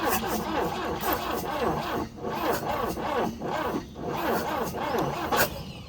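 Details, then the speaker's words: 1966 Volvo Amazon 122 estate, carbureted, first start attempt after long storage with a little choke: slow, labored cranking that bogs on each compression and barely catches before dying; tired, weak starter, no start after 30 minutes of cranking. "That is a tired starter. That's what that sounds like to me. Starter doesn't seem like it's got enough juice to push itself through a combustion cycle, and it's just combusting and then Bob's your uncle."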